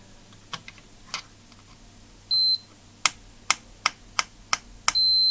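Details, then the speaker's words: Air hockey arcade game PCB compared against a good board: probe clicks, then steady continuity tone twice, showing an unexpected connection; tracks likely corroded, pointing to a track fault. "yeah about the connection there so it looks like we got some problem with some of the tracks on there as well"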